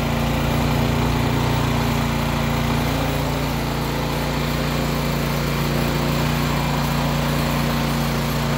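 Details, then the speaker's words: Craftsman/Yard Machines MTD snow blower with a Powermore engine after an ultrasonic clean and rebuild of the Huayi carburetor to cure surging and no-start: small single-cylinder engine holding steady, even speed with no surging or misfire, smoking quite a bit but running healthy. "so there it is smoking quite a bit but runs like a champ"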